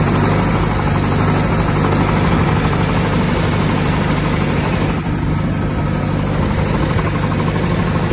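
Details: 1959 Massey Ferguson 85 tractor, first start in 5 years after new points, cleaned carburetor and new solenoid: steady low chugging idle holding an even pace without stumbling; normal idle.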